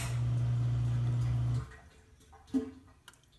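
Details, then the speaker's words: Old Kenmore Elite dishwasher with a very weak wash motor: drain pump gives a steady low hum for about a second and a half, then stops with a few drips; the drain pump works normally. "The drain pump works perfectly fine. There's nothing wrong with the drain"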